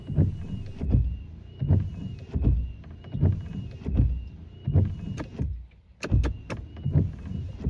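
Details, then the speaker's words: Wipers after Rain-X treatment of the glass: even sweeps about 80 a minute, soft low thumps at each reversal, no squeal or chatter. "I hope that you find this video helpful and that you too can quiet down your wiper blades"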